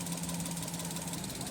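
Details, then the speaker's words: Maruti Suzuki Alto 800 idling in neutral, with no check-engine light and an intermittent misfire complaint: an uneven, stumbling beat, a misfire traced to the ignition coil. "इसकी missing ये भी आप देख सकते हो इसमें कितनी मिसिंग है अभी हमारी गाड़ी स्टार्ट है"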